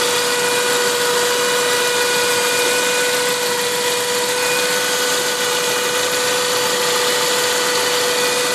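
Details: Saab 9-5 turbo engine, turbo 10,000 km old, running E85, not fully cold (about 30 °C). Steady idle with a constant mid-pitched whine over a hissy engine note; the source of the odd noise is unknown to the owner.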